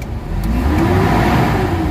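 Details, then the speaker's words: Mitsubishi Adventure gasoline engine, before Xado engine treatment: revs up sluggishly with a flat dull note, pulling weakly; engine only picks up at 2,000 rpm instead of normal 750–800, slight compression leak suspected, low power and throttle delay. "Nasa 2,000 RPM bago magalit yung makina. Dapat niyan magalit siya ng mga 750 to 800 galit na yung makina."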